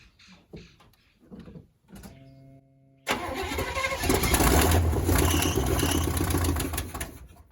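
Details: 1979 Chevy C30 squarebody parked 8 years: starter cranks with even, steady beat but never fires; cranking no-start, stuck carburetor float suspected.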